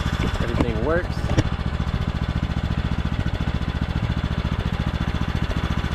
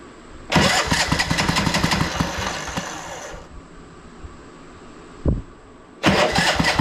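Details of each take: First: Craftsman T1200 riding mower with foot-pedal drive, oil topped off, after repairs: the single cylinder thumps at an even, steady beat with no missing or knocking; a normal, smooth idle. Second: Craftsman T1200 riding mower, choke off, on a jumper pack just under 13 volts: slow, labouring cranking with heavy uneven chugs that stall and restart, drawing a lot of power; engine was hard to turn by hand, owner suspects valves, hard cranking from compression release fault.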